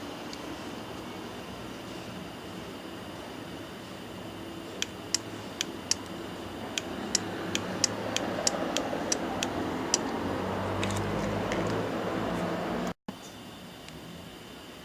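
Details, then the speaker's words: Microwave oven relay under test with meter: about a dozen crisp, unevenly spaced clicks over a faint steady continuity beep as power is applied and removed; the relay contacts pull in and drop out normally. "lo conectamos y nuevamente debemos de tener continuidad de hecho se escucha como el platino se activa y se desactiva"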